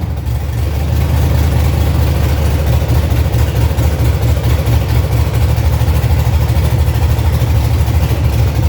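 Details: 1965 Chevy C50 with swapped 12-valve Cummins inline-six diesel, first run after wiring and new fuel lines, untuned: deep steady idle rumble, even beat, no knocks or misses; sounds healthy.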